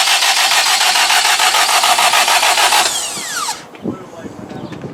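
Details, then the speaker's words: K20-swapped Honda EK hatch, deliberately cranked with parts unplugged so it won't start, to prime oil until the oil light goes off: even starter cranking at about 3.5 pulses a second, then winds down without firing; normal dry crank. "we're just going to crank the car while we unplug this stuff we don't want any we don't want the motor starting up so we're going to crank it until we see the oil light go off"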